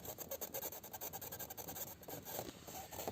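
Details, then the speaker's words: 2019 UAZ Patriot instrument cluster/dashboard gives rapid dry plastic creaking and rasping while driving, ticking with road bumps. The cluster trim is held by two self-tapping screws and Velcro. "ребята привет достал меня скрип приборной панели слушайте доедешь она вечно потрясывает и"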